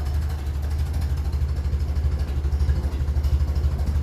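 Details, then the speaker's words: 1957 Ferguson 35 TVO tractor at low tickover around 400 rpm after a water distribution plate repair, with no proper coil fitted yet: slow, even chugging of about three pulses a second, deep and steady with no knocks or misses; normal low idle. "still sitting about 400 streets that's low that's a low takeover"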